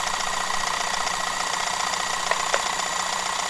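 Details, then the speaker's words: 1941 Sears Kenmore 158 sewing machine, rescued stuck machine doused with lubricant and left running: fast steady clatter about three beats per second with sharper knocks; strong motor fighting linkages still stiff from gummed, glued-on grease; zigzag not working yet. "that motor is so strong it was really wanting to move it but even the great motors that these came with are no match for grease and the gluing effect of grease"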